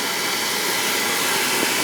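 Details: Home oil boiler burner fired with the control jumped out while the pump is bled to check prime and oil flow; the tech suspected a dirty tank filter. A steady roar with a hissing edge, no pulsing or sputter, and good oil flow.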